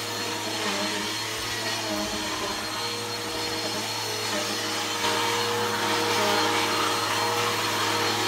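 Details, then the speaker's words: Bissell PowerForce Helix 1240 upright vacuum on carpet: steady motor roar with a thin, dry whine on top; the brush roll bearings are going out, not the motor, and the brush roll needs replacing. "like I said the brush or is going to need to be placed really really soon uh you can hear the bearings are going out in it um not the motor the brush roll um the bearings are out in the brush roll"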